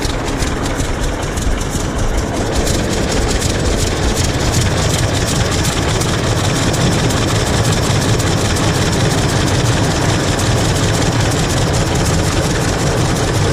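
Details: 1926 Hart-Parr 16-30 tractor, first run in over a decade after six months of work, out on a short drive; slow, heavy, steady low chuffing, firing evenly and pulling along, running clean and healthy.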